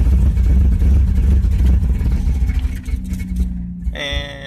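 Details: Car with manual choke, cold start: catches with rough low rumble, sags and dies within seconds; won't stay running cold.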